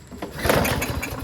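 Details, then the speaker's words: Lawn-Boy push mower with a Briggs 550 140cc engine and black plastic carburetor, full tank but won't start. Sprayed with ether, choke closed, it fires in a short uneven burst, catches, then fades. It gets no fuel; the carburetor is likely gummed up with the float and needle stuck. "Okay, engine sounds good. Turns over and goes vroom. It's not getting any gas, which means that the carburetor is probably filled with gunk and the float and needle is stuck."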